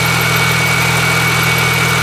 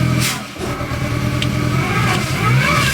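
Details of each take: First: Supercharged R53 Mini Cooper idling after a repair with valve and hoses replaced: steady, even, healthy idle with slight belt chirp, no vibration or misfire, no blue smoke; check engine light still on; normal idle. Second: Supercharged R53 Mini Cooper, recently bought, running rough and stumbling in the driveway with revs rising and sagging unevenly and a wavering pitch, though it ran fine on the test drive; codes present.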